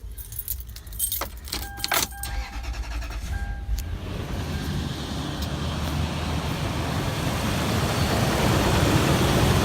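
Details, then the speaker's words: 2003 Toyota 4Runner V8 after replacing the idler pulley and tensioner assembly, belt rerouted and coolant topped off: keys rattle, then it fires and settles into an even, steady run with no belt squeal or chirp; normal running. "There it is. Running smooth again. Sounds good. Looks good. Everything's running properly."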